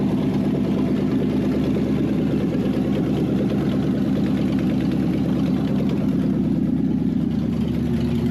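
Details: Wrecked 5.0 Mustang V8 bought as a non-runner, running on open headers after a missing engine ground was replaced; a smooth, steady low rumble at idle with no misses or knocks sounds healthy. Normal idle.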